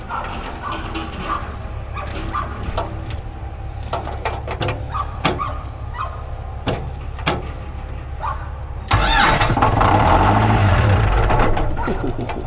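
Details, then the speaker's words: Old Ford 2120 diesel tractor, sitting for years, starts and holds a hard unwavering roar at wide open throttle; throttle cables rusted tight, later cut and throttle set back to lowest. "So, when I started this thing, it was actually wide open throttle. So, the throttle cables are uh um they're rusted tight."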